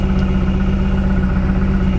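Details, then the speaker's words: 1999 Lotus Esprit V8 with ECU reinstalled after swapping coil drivers: lumpy, uneven idle as two cylinders drop out each cycle; the misfire persists on a cylinder that previously had no spark, traced to failed ECU coil outputs. "oh i can hear it i hear it missing there we go all right so now we're on a cylinder that had no spark before"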